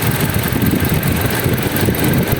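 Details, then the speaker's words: 2013 Toyota Fortuner idling with AC off after a DIY fuel filter replacement: deep, even rumble at a steady idle with no stumbling or surging; engine quiet and running properly. "Yan yung DIY. Palit tayo nito. Fuel filter na yan. So okay naman, matining naman yung makina."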